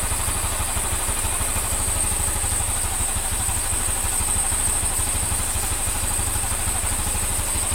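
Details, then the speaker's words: Honda Scoopy (Genio engine) after replacing the crankshaft bearing, connecting rod and valve seals and redoing the valve lapping: a steady, even putter of about three pulses a second with no knock or rattle. Normal idle. "Sekupi boys sampun ready masih. Kalau trek lurus, suara halus, suara halus."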